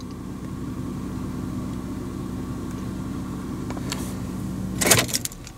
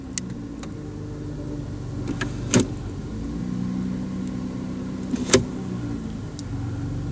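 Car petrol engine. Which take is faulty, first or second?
first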